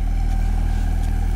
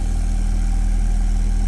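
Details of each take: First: Alesis M1 Active MK2 powered speaker after repair on the faulty left unit: steady deep 40 Hz tone with only soft air puffing from the port, no hiss or flutter; output now normal. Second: Alesis M1 Active MK2 powered speaker playing a 40 Hz test tone: steady low bass with a breathy, fluttering airy buzz from an air leak in the cabinet, so the ports cannot work properly.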